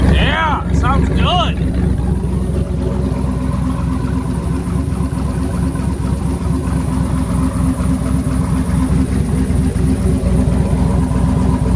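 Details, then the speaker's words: 2008 Chevrolet Silverado V8 with stock exhaust manifolds, a new Y-pipe and catalytic converter assembly and a welded 3-inch exhaust with chambered muffler, raised in the air; deep, steady idle rumble with no ticking or puffing, no leaks at manifold or Y-pipe joints. "good all right so check for leaks no leaks around the mating surfaces to the manifold to the wipipe it's sounding great I'm super happy with that"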